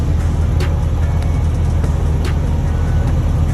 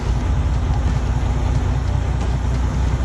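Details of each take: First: Detroit DD15 with fault code SPN 3660 FMI 14 (cylinder 2 injector amplifier control valve) during a cylinder cut-out test at low idle RPM: steady, even diesel idle with no misses or knocks, only light clicks on top; running normally. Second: DD15 diesel, fault code SPN 3660 FMI 14 (cylinder 2 injector amplifier control valve), cylinder cutout test near 1000 rpm: steady rumble with an uneven tremble when a cylinder is cut; the cylinder cut here is pulling its weight; owner suspects injector 2.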